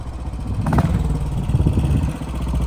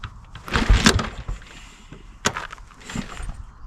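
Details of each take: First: 1957 Royal Enfield 500 Redditch Bullet, Lucas SR1 magneto ignition, clip of earlier riding uphill: deep steady single-cylinder thump pulling evenly under load with no misfires or clatter; running well. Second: 1957 Redditch 500 Bullet single, not run in nine months of ownership, kick-started. Scattered coughs, then a steady thump. It runs evenly once the petrol is turned off and the carb runs dry; the carb and float needle seat are to be checked. Finding: hard starting from carburettor flooding.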